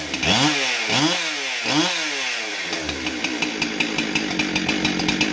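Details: Husqvarna 372XP chainsaw test run after stop switch replacement (it previously needed the choke to stop): three crisp throttle blips, then a steady popping idle with no hesitation. Running normally.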